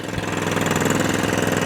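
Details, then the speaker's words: Atco Balmoral 17SK mower after fuel tap replacement, started stone cold, off choke: even single-cylinder putter, full revs and back to idle with no hunting or surging; runs cleanly. "full revs no hunting no surging straight down to idle no hunting no surging back on the full revs"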